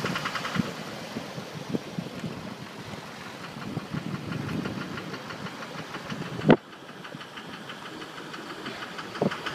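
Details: 2006 Duramax LLY diesel at idle: quiet running with a faint steady light knock ticking through it and one sharp bang near the end; suspected engine knock, cause unclear.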